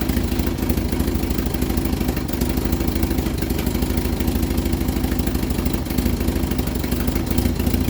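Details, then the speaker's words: Vauxhall Viva HC during rebuild, first start after refit with temporary fuel supply: busy clattering idle with uneven metallic knock about three per second; owner suspects flywheel clipping a loosely held gearbox cover plate, alternator and water pump ruled out. "well i was making a racket i think it was the flywheel clipping off a cover plate in the gearbox there's only one pull through it"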